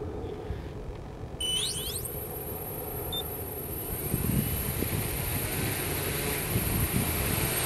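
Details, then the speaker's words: 1100mm SuperX hexacopter on takeoff: motors whine up, hold a steady high pitch, then surge louder like kicking into second gear instead of climbing smoothly; owner links tip-over takeoffs to high CG, cause of sound unconfirmed. "that's a nice takeoff it's weird it spins up and then it just gets all crazy it's like like it kicks into second gear"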